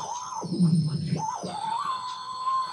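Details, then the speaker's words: Homebuilt FET AM radio tuner on a long wire antenna: a thin whistle near 1 kHz drops out and returns with bursts of low buzz; adjusting the supply voltage affects the whistle, cause unknown. "there's a station coming in but what do i do about all this whistling noises that it's making and this project is pretty much grounded until i can get that sorted out"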